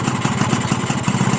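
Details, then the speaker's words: Crystal two-stroke with a normal carburetor: a rough, wavering idle sagging toward a stall below about 1,800 rpm, also stalling when the throttle is closed while riding. The owner suspects excess compression. "เห็นมยจะดับน่ะเห็นมั้ไม่ผิดเลยดับนะครับก็สันนิษฐานว่ากำลังอัดเกิน100%เพราะว่าคาบูมันไม่รวน"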